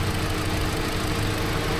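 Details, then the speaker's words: Hyundai Accent petrol engine idling with ignition coil removed for testing: low, uneven, lumpy rumble with no firing on cylinder four; ECU already swapped for a used one and damaged wire near alternator found, spark supplies being checked. "So Tiningnan ko yung kasi ito yung kwatro yung walang firing So nakaandar yung makina"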